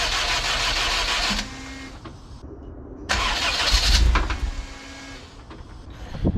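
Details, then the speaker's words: Turbo Honda CRX with newly fitted full exhaust, intercooler cap still on so the intake is blocked: two short bursts of fast cranking, never catches, not breathing; code 15 ignition output signal also shown. "if you look on the intercooler we still have our cap on here the car is not breathing oh that's so funny"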